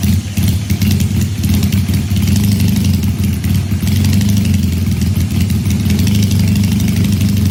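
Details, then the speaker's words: Supercharged Honda CL175 at warm operating temperature, checked for a heat-related vacuum leak with a DIY smoke tester: smooth, even idle with a steady low beat and no hunting or surging; the earlier erratic idle is absent. "all right we got the bike warmed up of course now it's not doing what it was doing before"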